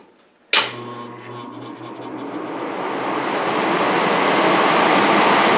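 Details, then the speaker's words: Homemade 15 kW electric furnace blower heater built from salvaged furnace parts, with breakers selecting 5, 10 or 15 kW. With all three elements and the blower on: a click, then smooth rushing airflow building steadily, no rattle. Running normally. "so when I turn this on all three elements come on and the blower comes on"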